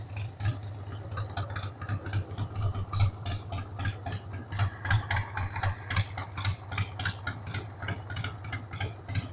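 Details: 1993 Harley-Davidson Sportster 883 Evo V-twin, stored about 15 years, just started on starting fluid with a dead battery: a loping, irregular idle of three to four uneven pulses a second with stumbles and ticking. The carb needs cleaning.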